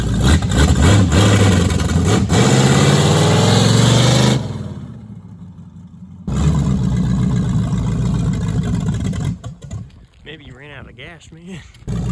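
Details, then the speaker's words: 1973 Plymouth Barracuda after carburetor swap: engine pulls, then revs sag flat on transition before recovering; bog on acceleration, rear accelerator pump suspected, not confirmed. "I think the back to I think the rear accelerator pump shot."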